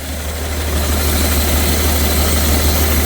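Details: BMW 330d M57 diesel with suspected blown turbo and melted pistons, blow-by, down on a couple of cylinders, had started to run away: lumpy uneven idle with irregular beat about three times a second and heavy drone; cause unconfirmed.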